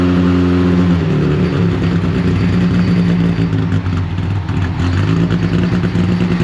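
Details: Rebuilt Deep Orange 9 engine on its first start attempt, supercharger not yet refitted and apparently running on sprayed starter fluid. It runs rough and loud with uneven speed and won't idle on its own.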